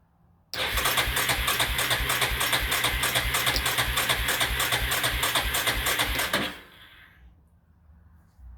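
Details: Yamaha carburetted engine that sat outside about two years, bad gas drained and carb refilled with good gas, choke stuck: steady rhythmic cranking at about three pulses a second for six seconds, never catches; cranks but won't start.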